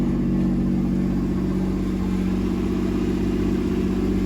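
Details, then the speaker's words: Camaro V6, first start after getting it running again (fuel pump relay checked), fast idle about 2,500 rpm; smooth, even drone with no misses, ticks or knocks; sounds pretty good, normal running. "It is idling a little high. Where is it at? About 2,500 RPMs. This thing sounds pretty good."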